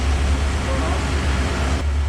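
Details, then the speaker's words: Porsche 928 4.7 L K-Jetronic V8, 300 hp, sat unused 20 years, first run warming up: deep steady rumble, even pulses, no knocks or misses, idle settled at 850 rpm; normal warm idle. "I want to hear I just want to hear it running nicely get it really up to temperature"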